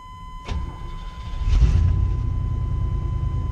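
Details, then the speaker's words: Chevy 350 small block TBI started right after an oil change to check oil pressure comes up: starter catches and settles into a steady, even idle with no knocking or ticking; healthy normal idle. "Now, you ain't gonna have no oil pressure because you just drained out all your oil. So what I like to do is start it up and make sure my oil pressure comes up right away."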